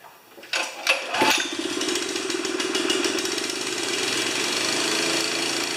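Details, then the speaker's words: Honda GX160-powered wheelbarrow air compressor (customer suspected governor fault), choke off: pulls over, catches within a second and settles into a steady, even, fast putter with no misses or knocks; normal start and idle. "After it starts up and pressurizes, it goes back to idle and it sits there and waits for you to use air and then kicks back on again and so forth. So, it should just fire right up here."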